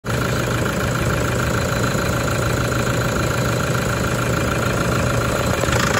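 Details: Toyota 1KD-FTV D4D diesel, injectors done the day before, fine on a 20 km road test, then rattle started: idling with an uneven knock over the clatter, cycling about 10 seconds on/off from cold start; owner suspects water, later fixed itself.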